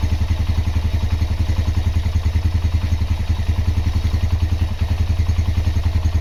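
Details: Honda GL Max Neotech engine after full restoration/rebuild: even, steady single-cylinder idle at about three and a half beats per second with no knocks or rattles; normal idle.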